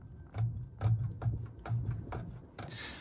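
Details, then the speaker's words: Excavator at idle, just serviced: light tick about twice a second over dull idle thump at front of engine; belt tension checked, found worn failed fan hub, being replaced. "Thought it could hurt, like hear a bit of a tickety noise, so I've just come up and checked the belt tension"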